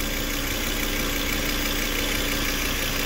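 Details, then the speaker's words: 2005 Volvo XC90 2.5 with low-fuel-pressure no-start (regulator suspected), now idling: constant airy hiss and sucking from a small hose that seemed blocked/poorly connected; probable vacuum leak at loose hose. "aquí voy a conectar bien esta manguerita porque estaba como que tapada aunque se escuche que está chupando aire por aquí"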